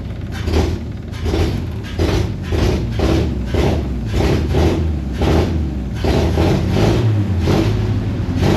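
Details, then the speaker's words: C30 V8 with a cherry bomb muffler and timing not yet set: revs in pulses about every 0.7 seconds, then cleans up and runs evenly and much quieter, with a soft thump underneath from the cherry bomb; finding: normal running. "now it's cleaning up seems like it's running okay A lot quieter too that uh little bumping you're hearing underneath is actually that cherry bomb going off"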